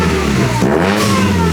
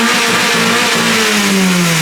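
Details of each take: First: Supercharged Mazda Miata, hard rev: stumbles and drops out briefly near the top, then picks up again, fuel starvation as injectors max out; high-rpm cut-out that does not happen with the belt off. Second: Supercharged Mazda Miata, stationary free rev: pitch falls smoothly from high revs with no stumble, cut or misfire, reaching the rev limiter as it should with no boost; normal free rev.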